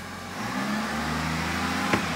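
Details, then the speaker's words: 2021 Chevrolet Silverado 1500, 3.0L LM2 Duramax diesel, just after a fuel filter change and priming: steady idle, then a short clean rev rising in pitch to purge air from the fuel system, settling smoothly with no stumble; normal rev. "and that will force the fuel through the fuel system and purge all the air out"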